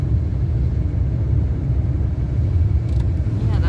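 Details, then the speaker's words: Car driving after wheel bearing replacement, ice and snow frozen to the rims: steady low road rumble with no hum or growl rising with speed; wheel bearing now quiet and healthy. "Like, there's no real noise now. That's even with all the ice and snow froze to the rims."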